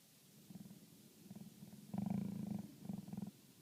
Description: 2011 toyota sienna knocking noise with wind blowing. Sound come only when recycle fresh air push button off.